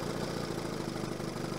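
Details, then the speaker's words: 1970 Evinrude 25 HP outboard after condenser change and slow-speed needle adjustment for suspected rich running, idle screw backed off, throttle handle fully down: steady, low, even two-stroke burble with no misses or surging; smooth low idle, smoke much reduced. "idling way down this is what i wanted i wanted i wanted to get the handle so i'm not using the idle screw i'm not using the idle screw to keep it running"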